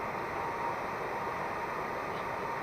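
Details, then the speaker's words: VW Vanagon T3 water-cooled blower fan on speed 2, after lubricating the motor shaft bush via a fuel pipe cable-tied to the end shaft: steady, smooth, powerful rushing hum with no squeak. The fan motor spins freely. "can see the green whipper snipper fuel pipe that I've got hooked up there that is simply cable tied to the end shaft of the fiend that's too direct lubricant onto the bush and this is how it's lubricated now you can hear there's no squeak and that's on band level number two doesn't it seem nice it's very powerful also"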